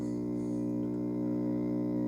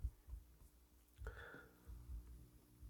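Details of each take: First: PreSonus FireStudio audio interface, heard through a Laney amp. The left main output gives a steady low hum with even overtones, unaffected by the controls, while the right main output is clean. The left output op amp is faulty. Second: PreSonus FireStudio after cleaning, left main output into a Laney amp cranked all the way up: only a faint low steady hum under handling thumps, far less than the earlier humming on that output, so the fault is essentially fixed.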